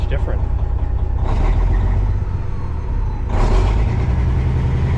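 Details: Kenworth cabover diesel running on its original ECM temporarily swapped in as a test; not charging, low voltage. Deep rumble surges and sags unevenly every second or two instead of a steady idle; stutter unchanged, maybe rougher.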